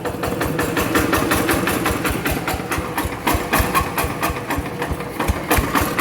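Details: Yanmar TF85 LM single-cylinder diesel with original rings; the owner says it burns no oil, with slight exhaust smoke. Steady, even idle at about four firing knocks a second with no odd clatter: normal, healthy running.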